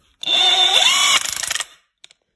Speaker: 可以听到它高速转起来以后，里面那个冲击块发出这种金属碰撞的声音，怀疑它这个齿轮箱里面可能有问题，拆开检查一下。